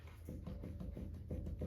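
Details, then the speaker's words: Lexus GX470 on jack stands, driver-side front wheel rocked by hand at 3/9 and 12/6 o'clock, rumble from the front end: dull clunks about three or four per second from play in the worn wheel bearing; passenger side has none. "you hear that so so there's a play in here"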